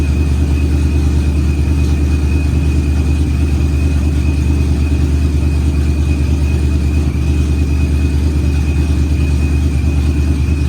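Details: Procharged Ford Coyote V8 on first start, good oil pressure and fuel pressure: deep, steady idle with even beat and faint constant whine while warming; runs smooth, head temperature getting a little warm, normal unknown.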